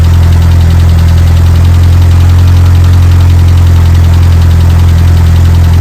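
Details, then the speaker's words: Evo 8 engine swapped into an Evo 6: faint fast even ticking, three or four a second, over steady idle; hydraulic lifters wouldn't pressurize, rocker roller gapped from cam, ticking from roller hitting cam or lifter. "so that ticking was the roller bearing either coming back up and hitting the cam or the lobe that when the lobe was rotating either tapping the rocker arm or it was the lifter"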